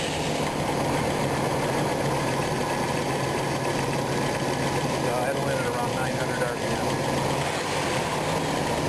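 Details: RV V8 after a distributor swap with timing still off: a steady, somewhat lumpy idle that sounds ready to conk out, with more shaking when the distributor is rotated one way.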